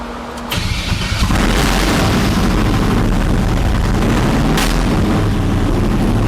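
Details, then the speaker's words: Start-up of a 408 LS stroker swapped into a 1981 Pontiac Trans Am with 4L80E, open Boom Tubes exhaust, freshly tuned: cranks, catches, brief early stumble (thought a miss) clears during learn process, settling into loud, steady deep idle. "It sounds cool with the boom tubes. I like it smoothed out. I thought there was a miss, but it went away."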